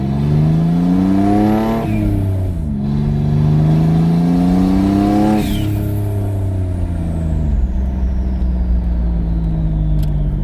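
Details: Twin-turbo V6 Mustang with new DW 340lph fuel pump, driving around the block: revs climb and drop back cleanly through gears, no stumble or stall on lift-off; running healthy.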